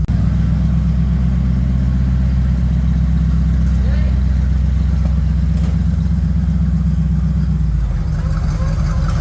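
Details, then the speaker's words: Bombardier snowmobile, first move in six months, just reassembled, backing out of the shop for a test drive: smooth, even low idle near 800–900 rpm at about four beats a second, no knocks or misses; normal idle. "How does the engine sound running? Good. Okay. It's runs at 800, 900. That's good."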